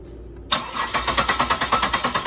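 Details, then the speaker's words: 2000 Buick LeSabre cranks evenly, about seven pulses a second, but won't start because the crankshaft position sensor signal wire is shorted to ground through a test light. "it does not want to start because the signal is actually shorted in the test light with just kion and the engine on"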